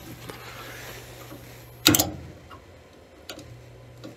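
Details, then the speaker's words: Furnace with no heat, thermostat R jumped to W: transformer hums, control board relay clicks but the draft inducer motor never starts; faulty control board relay. "yeah I'm hearing a click and it's just nothing's happening so it's definitely something that is relays"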